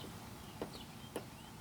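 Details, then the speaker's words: Inner tie rod with boot removed, rocked by hand: three faint light clicks about half a second apart from play in the worn inner tie rod, blamed for the vibration; to be replaced. "and you can hear it rather than see it it's got a little bit of play in it and that's what causing the vibration"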